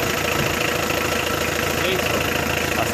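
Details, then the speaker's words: Mitsubishi 4D56 diesel started cold at 29–31 °C head temperature with glow plugs disconnected catches almost immediately and runs steady and even; no hard-start problem. "seen no glow plugs and temperature 30 31 degree celsius the engine started almost immediate no hard start problem all that without blow relay is plugs disconnected"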